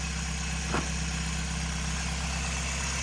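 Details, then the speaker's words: Toyota Echo 1.5, 391,000 miles, burns oil, had a bad miss, after replacing ignition coil with an OEM used unit: low, steady, even idle with no stumbles; normal idle. "Runs a lot s"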